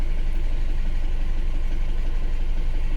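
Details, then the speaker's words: Isuzu Alterra diesel, misfiring with low power and check engine light after a valve cover gasket job: uneven idle lope, about three stumbles a second; injector group B supply voltage low, injector 3 positive wire shorted, killing injectors 2 and 3. "okay mga boss bale nakuha ko na yung problema niya dahil dito nagkaroon siya ng shorted dito sa injector number 3 So nag-short kasi yung kanyang positive"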